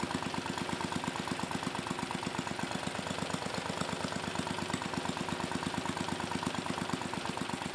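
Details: Mid-1980s Troy-Bilt Junior tiller, 3 hp Tecumseh HS35 engine (H35-45593R), after carburetor cleaning; pilot needle fine-tuned, idle lowered to about 1,000 RPM. Quick, even single-cylinder putter, no misses or knocks; normal clean idle.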